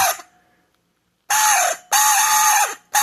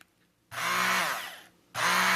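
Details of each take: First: Cuisinart or Braun 200 W hand mixer squawking in loud bursts like a squeezed rubber chicken; motor alone is quiet, so noise is from the worn, dry beater shaft bushing; no fix. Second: Braun 200 W hand mixer running: a steady buzzy whir in two short bursts with no squeak.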